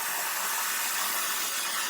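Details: Steam cleaner: strong, steady hiss for about two seconds fading as trigger is released; normal steam output.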